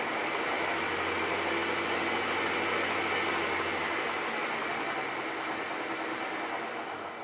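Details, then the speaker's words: Bridgeport mill's replacement 1HP three-phase motor, cleaned up with new bearings, running on the VFD control panel: steady even hum with airy fan rush, no knocks or grinding; new motor sounds good, smooth and quiet. "New motor sounds good."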